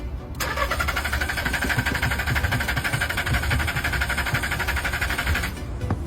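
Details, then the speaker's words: Secondhand car that won't start at night but starts during the day. Steady starter cranking at about four pulses a second, and the engine never catches. Throttle cleaning, plugs and pump had not fixed it. "did you see it it really can't start"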